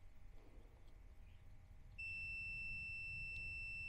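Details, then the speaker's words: Triumph Street Triple 675R engine cutting out, testing handlebar switch pins with multimeter: quiet then steady unbroken continuity beep; a spring in the switch opening was found to cause lost continuity. "okay if I go there it shouldn't ring out top middle to bottom middle and if I go there it should ring our top middle to bottom middle"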